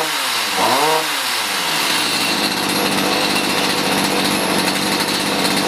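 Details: Stihl HS45 hedge trimmer two-stroke that wasn't starting, likely long stored, after carb high/low screw adjustment: blips up then settles into a steady, high, buzzy run with no stumbling or misfire; some exhaust smoke, running normally.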